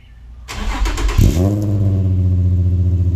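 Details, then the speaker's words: Infiniti G35/Nissan 350Z with long tube headers and a newly installed ISR single exhaust: cranks, catches and settles into a fast cold idle with a puffing tick, from exhaust leaks after the extension and at a loose resonator-to-muffler bolt. "well I sounded pretty good I do have exhaust leaks though so I'm gonna get that worked out right now"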